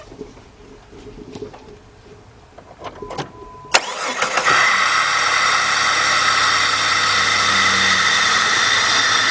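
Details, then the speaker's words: 2002 Jeep Grand Cherokee Laredo 4.0 after spark plug replacement for P0302 cylinder 2 misfire, air cleaner off: cranks, catches, settles into steady even idle with loud hissing intake rush. "With all the pistons doing that in sequence, that's why you get that constant sucking of air coming in there."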